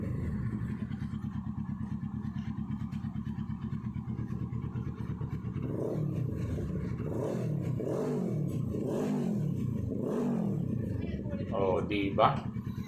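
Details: Kawasaki Z650 crank-no-start, fixed by replacing the blown FI fuse that feeds the fuel pump: even idle around 1,000 rpm, then several quick throttle blips that rise and fall cleanly; running healthy.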